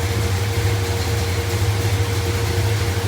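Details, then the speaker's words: "Poop Coupe" V8 idling, heard from the front with fans running; quiet, smooth, even burble with faint fan hum and no knocks, though the engine has a lot of blow-by; normal idle. "do want you guys to notice just how quiet this thing is up front other than the fans listen how quiet that is little engine just smooth as it can be"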